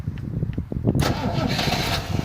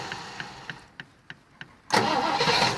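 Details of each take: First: 1973 Rover P6 3.5 V8 with old relay reconnected, starter previously reconditioned: about a second of steady cranking then engine catches cleanly first try; healthy start, fault traced to the failed relay. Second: 1973 Rover P6 3.5 V8 with a starting fault: six sharp relay clicks, about three a second, then the engine catches and runs roughly before cutting out again; intermittent starter relay problem, relays being swapped to diagnose.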